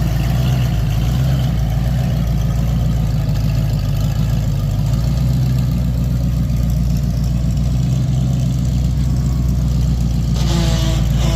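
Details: 1992 Ford F350 tow truck, just off the trailer and needing a driveshaft, idles deep and lumpy with an uneven pulse and occasional stumbles; runs rough, cause not pinned down, owner thinks it's time to replace the ignition.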